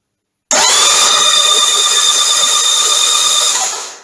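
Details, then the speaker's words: Norvil Norton Commando 850 MkIII (built 2012, 900 miles, sat 10 years), rocker covers off, cranking to build oil pressure: steady high whir about three seconds, no grinding or slipping; normal starter cranking, oil confirmed reaching rockers. "okay we're going to spin it over a few times see if we can get oil pressure see if we can get oil coming back to the tank here we go"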